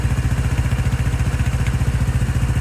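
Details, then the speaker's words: 2018 Lance Cali Classic 125cc scooter, revived after sitting, warming up: steady, even putter of about twelve pulses a second at idle, no misses or clatter; runs quietly, earlier trouble suspected from a stuck automatic choke. "nice and quiet seems like it wasn't happy with the automatic choke and I don't know what to do about that exactly"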